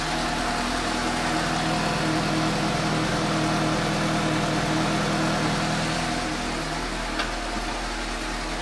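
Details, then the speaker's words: 2015 Suzuki GSX-S750 inline-four idling after new OEM NGK CR9EIA-9 iridium plugs at the 7,500-mile interval: a smooth, even idle with a steady low pulse and no misfires or rattles. Noticeably smoother than before. "I'm do a quick spin see if it starts even though I'm good oh there really does sound smoother I like it"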